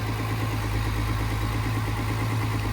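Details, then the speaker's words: 1971 Mercedes-Benz 280SL six idling after a new ignition coil was fitted, before warm-up and distributor adjustment; steady, even, smooth beat with no misses or stumbles; seems to like this coil better, normal idle. "It does seem to like this coil better already."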